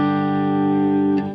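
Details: Vintage Fender Bandmaster tube amp, idle since 2002, after cleaning controls and jacks, played clean with no master volume: one clean guitar note rings and fades smoothly, no hum, crackle or distortion; normal clean amplifier tone.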